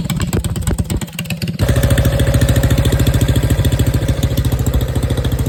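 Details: Rebuilt Honda GX270 single-cylinder, converted from gear reduction to stock crank with new coil, crank and side cover, on a Realtree RT200: catches and settles into a steady even thump about three and a half beats a second; healthy idle after rebuild.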